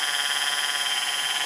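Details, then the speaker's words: Baldor 1/3 HP 230/460 V 1725 RPM 3-phase motor wired for 230 V, run from a Teco Westinghouse L510-101-H1-U inverter on 120 V single phase; steady high-pitched whine, constant pitch, motor barely above ambient; owner suspects bad bearing, or just inverter noise. "easy inverters kind of make motor sound kind of goofy"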